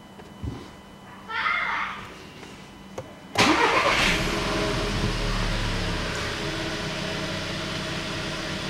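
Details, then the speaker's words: 2014 Volkswagen Beetle 1.4 DSG, 49,500 km, after fixing boost sensor fault P0236 and clearing the code: starter whirr, quick catch with short rev, then steady even idle; normal start, error not returning. "дал ему ещё поработать маленько ошибка Не повторяется не вылазит"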